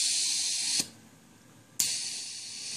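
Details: Homebuilt ROV ballast system: sharp hiss bursts of about a second each as the depressurize solenoid, triggered from a PlayStation controller's select button and set to fire about every second, opens and vents air; normal air release.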